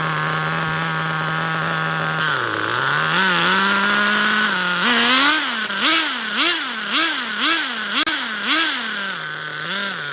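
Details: HPI Nitro MT 18SS RC truck nitro engine: high buzzy note surging up and down about twice a second, burbling and unsteady; running rich with idle dropping low, no 1.5 mm tool to adjust idle set screw.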